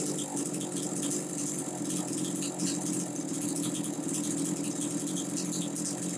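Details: Homelite Super 2 chainsaw, possibly 1990: small two-stroke holding a steady, even buzzing idle with a light rattle, no surging or stumbling. Running fine, normal idle.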